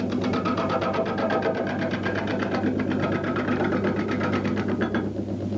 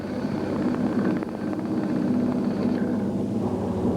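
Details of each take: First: Did you hear that change of tone, that noise? Now this tells me that the bark is probably coming a little bit loose. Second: Record cast-iron woodturning lathe after a belt speed change, motor weight tensioning the belt, turning a block into a cylinder; even steady low drone with light tool scraping, no knocks, normal running.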